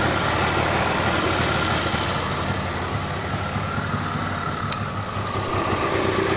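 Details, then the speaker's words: Twin, kick-started after fuel turned on: runs unevenly and dips just after starting, then settles into a steadier beat as the cold engine warms; "sounds pretty good." "Oh, stay with me. Oh, it's settling down. Sounds pretty good."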